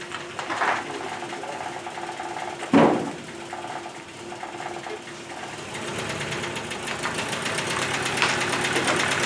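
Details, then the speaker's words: Subaru BRAT original engine idling before the engine swap, suspected blown head gasket and rod knock: a rapid, even ticking knock under the running note, possibly from the bottom end. "bone head gasket and then a rod knock [Applause] you can hear you can hear it not a rocking"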